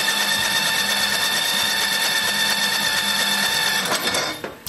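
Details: Old snowblower small engine, cranked with the electric start after brake-cleaning the ignition and refitting the flywheel to restore spark. Steady starter whir with a churning beat about three a second; it spins but never fires. Spark is then confirmed.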